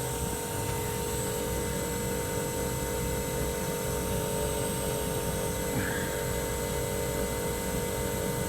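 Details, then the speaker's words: Mitsubishi inverter outdoor unit just started after rusted compressor replacement, covers still off, heating or cooling mode unknown: smooth steady hum with even tones, no knocking or rattle; runs normally. "So far so good. Just turned it on. Should have gotten put the cover on. I just wanted to test it before I put everything back on."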